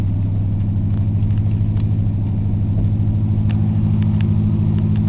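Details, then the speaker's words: 1994 Ford F-150 302 5.0L V8, 5-speed manual, unrun for months, after cold start: steady even low rumble, no misses or knocks; runs good, charging well, good oil pressure, no smoke; normal idle. "so it runs good little over quarter tank of gas charging good good oil pressure"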